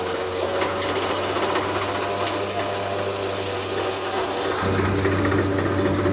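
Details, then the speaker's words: BharatBenz truck with stock, unmodified body, diesel running with gear engaged: steady rapid whirring rasp louder under drive load, noise from the RT1 differential crown wheel; crown to be opened for inspection. "Crown खोल कर check करेंगे कि क्या दिक्कत है इसके अंदर। RT one crown से आवाज आ रहा है।"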